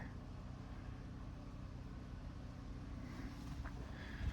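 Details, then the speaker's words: Small engine after moving governor spring two holes over: steady even drone with low thrum, no surging; speed toned down, now normal governed speed. "I think that's toned down a lot. I think that helped."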